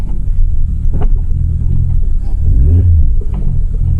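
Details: Modified drag-built Audi TT with a big turbo, grabby clutch and no power steering, driving: a heavy, loud low exhaust rumble with dull bangs and clunks, the oversized exhaust knocking against the body; a driveline mount was also suspected.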